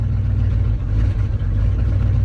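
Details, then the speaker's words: Ford F-250 with 390 V8, 180k miles, sat about six months in cold Iowa winter, carbureted: deep fast idle surging and dipping unevenly, weak and hesitant; owner says it runs very lean, oil pressure slowly rising as it warms. "man she is lean lean lean but she's running this has always been the laziest oil pressure gauge but she's slowly coming up as she warms up"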